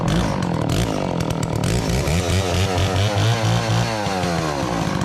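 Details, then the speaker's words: Garage-sale Dolmar 112 two-stroke chainsaw after fresh fuel, fired up once fuel reached the carb: crisp buzz that revs up and settles back cleanly to idle, no misfire or stumble; running healthy. "Once the fuel got into the carb from some pulling, she fired up. It idles. It runs good. It sounds healthy."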